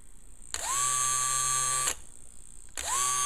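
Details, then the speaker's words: Old Audi A8 electric fuel pump, removed and bench-tested on 12 volts: high whir spins up, runs about a second and a half, cuts out, then restarts when moved; intermittent operation, possibly dirt or a bad pump. "this is the old pump hooked up to 12 volts when I move it around cut"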